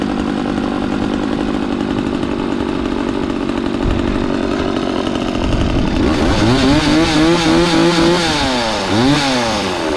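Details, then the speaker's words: McCulloch Mac 3200 32cc two-stroke chainsaw, 14-inch bar, after repair, started on choke then half choke: buzzy idle climbing into sharp revs that rise and fall cleanly; chain oiling confirmed, runs good. "uh so everything's good with this chainsaw it runs good"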